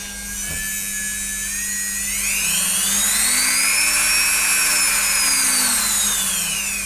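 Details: Roughly 12-year-old Dremel that had stopped starting, after replacing two capacitors and a 24 kΩ resistor (owner unsure of correct value), on a power supply; high motor whine climbs, holds smoothly, then eases back, no rattle.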